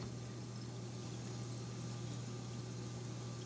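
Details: Eshopps PSK-100H protein skimmer in a bedroom, quieted with a 2-liter soda bottle cap: smooth, even low hum with faint water trickle, no rattle or gurgle; running quietly and normally.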